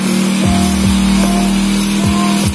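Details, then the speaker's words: Motorcycle hard to start after sitting over a month unused, treated with carburetor cleaner, now warming up: steady even idle, smooth low hum, no misses, pops or knocks; runs fine. "nah ini motornya lagi dipanasi lagi SD Biar apa ya kita lancar lagi"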